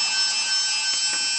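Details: Masterclip Hunter horse clippers after repair of a misplaced PCB that stopped the switch working, brushes refitted, running without the head fitted: high steady buzzing whine with constant pitch and level; motor runs smoothly.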